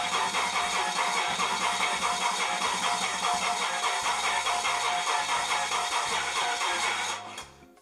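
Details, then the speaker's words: Medusa engine on a new propane (LPG) injection system with Megasquirt 2 v3.0: steady rhythmic cranking about 2.5 beats a second that never catches, injectors heard clicking, flood clear in use; crank no-start, cause unconfirmed. "I can hear the injectors clicking."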